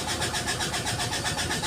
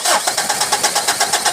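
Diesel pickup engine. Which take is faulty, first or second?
second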